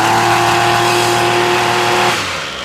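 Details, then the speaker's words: Ryobi weedeater that only runs on half choke, choke off: high buzzing tone, then suddenly sags and dies; won't idle, caused by a bad spark plug and stale fuel. "And you can hear her. She tries to run, but she doesn't run very well. So what we're going to look at, and she won't idle. She just falls apart."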